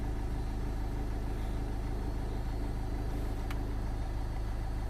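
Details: 2005 Land Rover Freelander TD4 after new fuel pump and filter for P1260 limp mode, first start with possible air in lines: steady even diesel idle, smooth low rumble, no misses, knocks or hunting.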